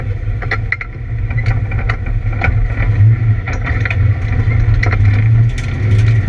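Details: ABR Camaro on misfire laps: heavy low drone under load broken by irregular sharp cracks and stumbles, an engine misfire on track with cause not pinned down.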